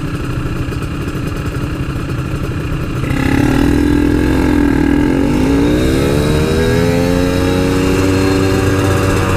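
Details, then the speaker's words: RX King two-stroke riding at high rpm after repair of a stutter that occurred only while riding (reed membrane and a loose ignition coil wire, now soldered): climbs cleanly and holds a steady buzz with no stutter. "guys udah enggak ada brebetnya lagi di a"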